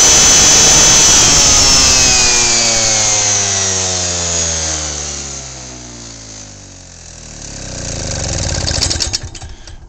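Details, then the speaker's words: Lawnmower engine on 10% ethanol gasoline with spark plug wire unhooked: engine runs on by itself, drone sinking as it slows then surging back; owner suspects hot spark plug and engine ignite the ethanol without spark. "when the spark plug gets warm enough the ethanol will ignite from the temperature of the engine and the temperature of the spark plug and when it does that you hear the thing take off the thing takes off with more power"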